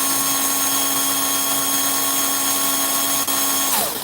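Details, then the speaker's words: Small electric motor of a race car checked the day after racing: high steady whine with a slightly wavering edge; it runs fast but sounds a little wonky and seems slower than before. "Well, mine's almost is hitting 4, but it sounds a little wonky."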